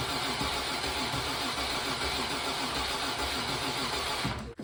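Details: Classic Mk1 Range Rover V8 that long wouldn't run, during no-start diagnosis: runs at a steady even beat about four seconds then shuts off cleanly, no misfire; diode relay under driver's seat found replaced by a standard relay.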